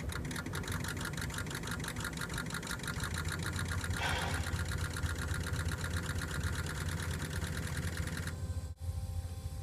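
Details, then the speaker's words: 2003 Ford 6.0 Powerstroke diesel that starts hard, key on engine off before Rev-X treatment: spotty, uneven injector pre-cycle chatter instead of a crisp even buzz, indicating sticking injectors (stiction). "okay that wasn't the normal sound that we do want to hear"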